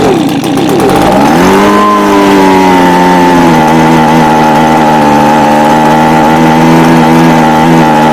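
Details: Echo ES250 (same as PB250) handheld blower/vac two-stroke, primed with ether: catches, climbs fast in pitch, holds steady buzzing drone without sputter or surging; normal running.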